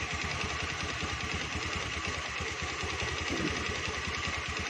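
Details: Honda Beat scooter (matic) in for service with a rough, rattling "klitik" noise: steady idle with a rapid, even tek-tek knock on every turn; deep internal knock, source not pinned down.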